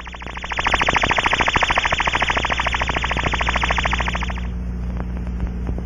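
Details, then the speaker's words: Ultraprobe 2000 ultrasound inspection of a small aircraft fuel cell: warble tone generator placed inside the cell, exterior scanned with rubber probe at maximum sensitivity in fixed band, sensitivity reduced closing in; steady warbling tone pulsing about three times a second, escaping through fuel cell leak. "for small cells the tone generator is placed inside the cell and you scan the exterior again the gross define method is used to close in on the leak site"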